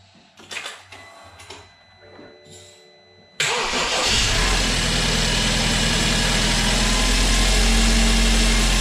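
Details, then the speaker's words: BMW 328i bought with a seized engine, first start after a full teardown and rebuild with new internals, car not yet fully assembled: starter cranks briefly, engine catches and settles into a steady, even idle with no knocks or misses. "Oh my god that runs so good. Wow, that's so cool."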